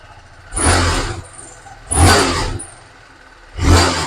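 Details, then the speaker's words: TVS Apache RR 310 after major service with several worn parts replaced, including the decompressor rocker, cam and original TVS air filter: three clean throttle blips that rise and settle evenly with no knocking; the engine sounds much better than before and healthy. "य य पर sound बढ़िया रहा कर तो bike sound है वो पहले से बहुत बेटर है जैसे कि आपने देखा था इसके कई सारे पार्ट खराब निकले हैं तो यहां पे हमने चेंज कर दिया"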